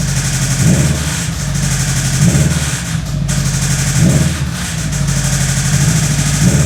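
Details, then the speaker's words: Subaru WRX with an internal knock, blipped to 1500–2000 rpm: harsh knocking swells on each rev and randomly vanishes for a split second between rise and fall; sounds like the passenger side, engine to be torn down. "you can hear not on the way up and not on the ramp down but just randomly in between the noise would go away for a very very Split Second that is a pretty good Telltale sign that it is"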